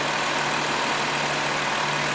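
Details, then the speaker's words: 2005 Dodge Grand Caravan, code P0404, warmed up, EGR commanded to 51% duty cycle in flow test: idle stays steady with no stumble and sensor voltage unchanged, so the EGR valve isn't opening, possibly stuck. "so we're at 51% Duty cycon EGR valve but I don't hear the engine stumbling and we don't see the EGR valve sense voltage change"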